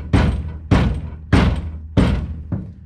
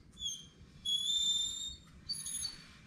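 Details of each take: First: 2009 Ford F250, rear rattle traced to the truck-bed toolbox and fixed by reforming a spring clip onto its rod: five solid kicks to the box, each dying out cleanly with no persistent rattle. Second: 2009 Ford F250, wheel off, hub turned slowly by hand: high-pitched squeals come and go from worn brake pads, little pad left but not yet to the rivets; slight lip on rotors; fix is new pads.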